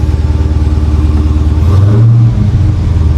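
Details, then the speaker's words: 2021 Dodge Charger Hellcat Redeye, supercharged SRT V8 with dual exhaust, 9,945 miles, no engine lights, at Copart: deep, even idle burble and one clean rev blip dropping back smoothly, not obnoxiously loud; no knocks or ticks, healthy. "That's not like obnoxiously loud, but it's got that deep rumble on it. Very nice."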